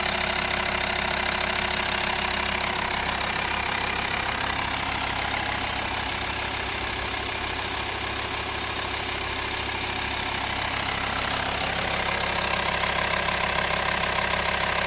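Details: Engine knocking at idle on a VW T5 2.5 TDI (BPC engine): steady diesel idle with a regular knock of about 200 per minute riding over it; source unconfirmed.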